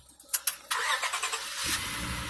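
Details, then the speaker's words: Auction-bought vehicle with almost 400,000 miles: short starter whir, engine catches within about a second and settles into an even, steady idle; cranks up fine, a clean normal start. "Cranks up, fine. Windows work."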